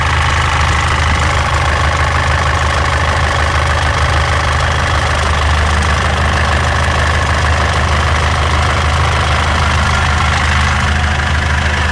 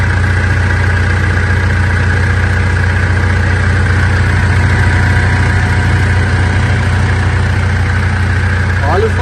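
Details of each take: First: 2014 Mitsubishi L200 Triton 3.2 diesel, 254,000 km, noise increasing when warm: loud idle with fast, uneven metallic rattle over the clatter; worn, very slack timing chain, timing chain kit replaced. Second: 2014 Mitsubishi L200 Triton 3.2 diesel, 254,000 km, after replacing a worn timing chain kit that was noisy when warm: steady even idle, smooth low rumble, no front ticking or rattle; normal idle.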